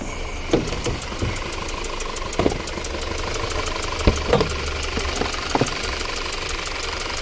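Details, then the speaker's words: 2013 Audi Q5 2.0 with check engine light, P0088 and P0420 codes: idle stumbles with uneven thumps every second or two over a steady hum; cylinder three misfire, borescope shows a burnt valve with a hole. "okay guys so look at this the valve is B burnt"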